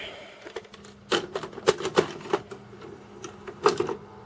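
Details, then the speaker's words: Tape loading into a VCR from an A/V equipment haul brings irregular bursts of sharp clicks and clatters, and the loading mechanism sounds like it is struggling. A meter reading was odd beforehand. Mechanism fault, cause not confirmed. "let's see what happens when I put a tape in there it goes oh not a happy bunny are we"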